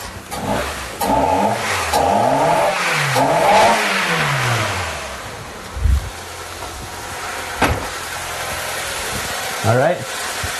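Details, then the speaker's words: Four-cylinder car after replacing all spark plugs. Engine climbs smoothly through several clean revs, then settles to an even idle with no stumbles or misfiring: normal idle and revving. "was successful there's no misfiring you want to make sure we can rev it up all the way again"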